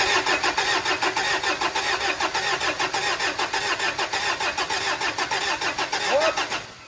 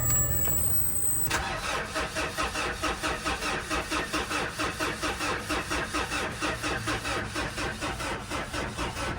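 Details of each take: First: Mitsubishi Montero diesel that would not start, after refitting its four original fuel injectors: cranks steadily at about 100 beats a minute, then catches and fires. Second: Mitsubishi Montero diesel with check engine light on that won't start: the starter cranks steadily at about two turns a second but it never catches. The primer pump felt soft; flood or rodent damage is suspected.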